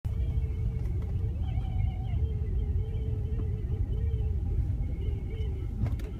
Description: BMW E46 strange noise coming from bottom rear part, it only triggers when car is moving and hit road bump or uneven road, and only stops when car is completely stop.